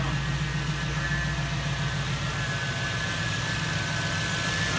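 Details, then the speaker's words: 1998 Jeep Wrangler TJ with a 5.3 LM7 V8 swapped from a 2003 Tahoe, first start after fixing fuel pump wiring and throttle cable: deep, steady V8 rumble with an even beat and no knocks or ticks; idles smoothly. "all right listen do it per get that fuel pump that sounds so good here's my throttle listen here wrong all right here's exhaust"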